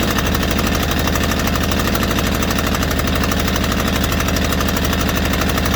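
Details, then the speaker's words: White Outdoor LT542G riding mower running rough and erratic, using too much gas with fuel in the oil; loud, uneven lumpy thumping idle about three beats per second, later traced to a missing carburetor main jet. "I had a sneaky suspicion something was going around I mean going on with that you can just kind of tell how how erratic that motor was"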